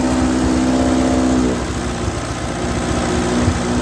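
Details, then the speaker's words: 1939 Ford 9N tractor four-cylinder just revived; catches and settles into a steady, even idle with low thrum, no knocks or misses, oil pressure present. "It's even got oil pressure. You can't keep an 9N down, I'll tell you that."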